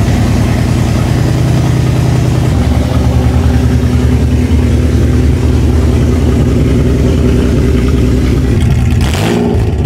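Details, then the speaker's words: Toyota 3.4L engine swap, first start after reassembly with oil, coolant, bled clutch and evap work done; catches quickly and settles to a steady, even low idle with no misses or knocks, no leaks; normal idle. "i actually fired right up running pretty smooth no leaks"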